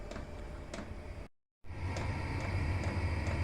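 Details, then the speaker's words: Chinese diesel heater exhausting through a home radiator, running on setting 3 of 6 and warming up: even fan and burner roar with a light, regular fuel-pump tick about four times a second. Normal running. "there you go, bang on cue, the diesel pump tapping away in the back, and then you'll gradually get a little roar, and then heat will start coming out."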